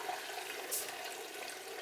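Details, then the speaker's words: 90+ gas furnace, never serviced: the inducer motor gets 110 V but won't run and is red hot. Its housing is flooded with rusty water from a water-filled PVC pipe. Steady watery gurgle and trickle with no motor hum. "It sounds like it's flood. It sounds like it's trying to pump water in there. Unbelievable."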